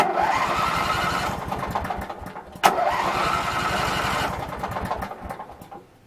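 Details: Craftsman 19.5 mower, reassembled and test-started (possibly with air cleaner off): starter cranks at about three to four beats a second without catching, then a click and weak stumble; ignition switch fault suspected, and it oddly starts on releasing the key.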